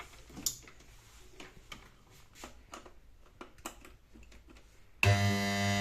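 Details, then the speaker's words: Stranger PBT501 500 W DJ amplifier, faulty after 4–5 months of use, switched on live during repair: a few handling clicks, then a loud, steady low hum with a buzzy edge; one filter capacitor is suspected weak, so both are to be replaced. "तो हमें capacitor दोनों ही बदलने पड़ेंगे इसके अंदर capacitor दोनों ही बदलने पड़ेंगे, क्योंकि हमें लग रहा है कि ये वाला वीक है हमारा। ये आती दिक्कत कैपेसिटर से है।"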